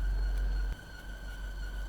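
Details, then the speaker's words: New Land Rover Defender after an off-road wash-off: thin, steady high squeal over a low engine rumble, caused by water on a pulley drive belt; it went away once the belt dried. "Turns out that that squealing noise was because there was water on a pulley belt, but it's dried off now and gone away, so don't need to worry about that."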